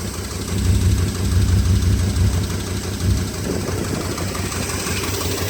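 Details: 2002 Dodge Durango 4.7L V8 4x4 (motor about 108k miles), sat about a year, intake missing, throttle body cleaned, cherry bomb exhaust. Low idle lopes and swells unevenly; rough running, cause unknown.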